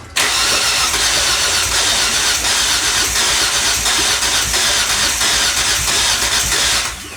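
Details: 2005 Kia Sportage 2.7L V6 that ran for months on added water after a leaking water pump; long cranking with an uneven, lopsided rhythm that never catches; sounds like compression on only two cylinders: hard start from low compression.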